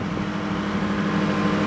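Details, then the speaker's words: Nissan Hardbody after fitting new accessory belts, engine running: a steady hum with no squeal, chirp or rattle, where it previously squeaked terribly. Belt drive quiet; the engine is smoking heavily and a blown head gasket is suspected. "but we got the belts on no more squeaks or any rattles or anything like that"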